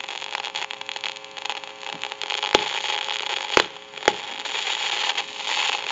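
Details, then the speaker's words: Northern Electric Galion rotary desk telephone, initial checkout, listening to handset after dial tone removed: steady staticky hissing crackle with sharp irregular pops, worsening over time; worn, noisy carbon granule transmitter. "you can hear that crackling static and it can get worse the longer it goes along should be able to pick that up in the video it's kind of a staticky hissing crackling popping noise"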